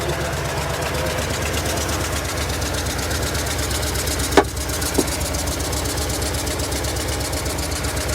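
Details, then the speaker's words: Just over 110,000-mile V8 replacement vehicle at idle, sounding better than yesterday: rough uneven idle with irregular stumble and sharp ticks, missing; knock starting; owner guesses bottom end. "Actually sounds way better than it did yesterday. Definitely missing though. Oh, it's starting to knock."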